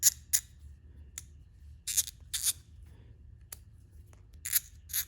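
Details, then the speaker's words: Kobalt ratchet after cleaning and a few drops of 3-in-1 oil: crisp, clean clicks in short bursts with no slipping or crunching; after 10 minutes' work it works almost like brand new. "Look at that, 10 minutes of my time, and this ratchet works almost brand new."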